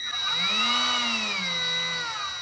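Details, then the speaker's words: Milwaukee rotary tool with speed control spinning up: high thin whine from PWM MOSFET speed control climbs then holds steady; normal speed-controlled run. "I'm going to turn it on. And you hear that high-pitched whine? That tells me that this is MOSFET controlled."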